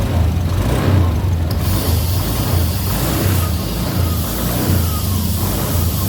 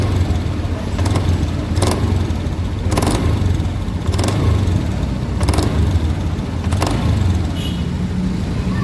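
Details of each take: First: Honda Beat Deluxe scooter after CVT block bearing replacement: even smooth drone with steady low beat, no grinding or rattle; CVT no longer noisy. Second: Honda Beat Deluxe scooter, CVT block tested: steady low drone with irregular sharp rattles about every second from the belt case; worn CVT bearing, replaced.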